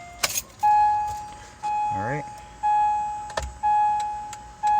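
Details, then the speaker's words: Acura MDX after the faulty buzzing turn signal relay was replaced: an even tick with a chime about once a second, with no buzzing or skipping; the turn signals now work, so the bad relay was the cause. "yay turn signals work that's what it was it was a bad relay"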